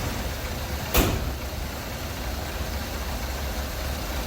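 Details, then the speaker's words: 1986 Ford F150 straight six idling right after cooling-system work, fluids topped off. A smooth, even low rumble after one brief knock at the start, with no misses or ticking; sounds like a sewing machine: healthy idle. "She does sound like a little sewing machine, doesn't she? Huh? Sounds like a little sewing machine there."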